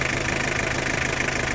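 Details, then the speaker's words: Toyota 2L 2400 cc diesel at idle: sharp, regular knocking over the engine note; both the injection pump and the nozzles are faulty, and diesel is not returning properly. "ये Toyota 2L है 2400 cc। ठीक है, इसका pump nozzle दोनों का मसला है।"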